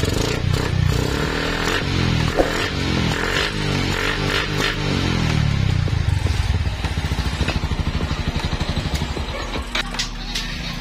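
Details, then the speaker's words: Sniper 135 single that was hard to start with no proper idle; fault was the spark plug cap, fixed by scraping its contact ends and twisting it up for contact. Now starts and settles into a steady even idle with no misfire. "Kaya yun nga, tumino yung andar. Bali, spark plug cap lang pala yung sira ng motor na to."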